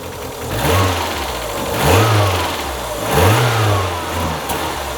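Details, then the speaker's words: Mazda Miata, first start after purchase, black smoke from exhaust, mic near the exhaust: each throttle blip rises, sags and recovers, last rev stumbles. Misfire and hesitation on revving, cause unknown. "Okay, so it missed there when I did that final rev. It comes back down and comes back up."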